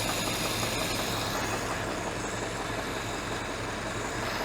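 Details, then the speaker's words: Ford-script Willys army Jeep, carburettor previously with no idle, after reattaching a spring, not yet warmed up: steady, even low idle with soft regular chuff, no misses or knocks; healthy idle. "Here we go. Sounds like an idol to me. Sounds like it's an idol to me too."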